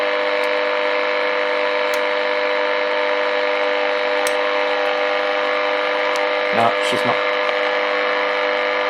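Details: Early-1950s HMV Little Nipper Mark II valve radio after a failed repair attempt: only steady mains hum, no stations or tuning noise; local oscillator dead, owner suspects the oscillator coil.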